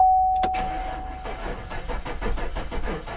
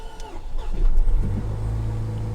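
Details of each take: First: Salvage-auction Maserati that likely sat in floodwater: rhythmic starter cranking about five seconds with compression building but never firing, warning chime before and after; water ingestion suspected, not confirmed. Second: Salvage Range Rover at an auction yard: the starter cranks briefly, then the engine catches and settles into a smooth, even idle; it starts and runs normally.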